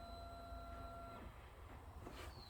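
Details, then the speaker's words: 2008 Can-Am Outlander 650 XT, no-start: a thin electric fuel pump whine runs about a second and stops, with no starter crank following. A bad starter solenoid is suspected; a neutral safety switch is also possible. "we have no start you hear the fuel pump but we get no start"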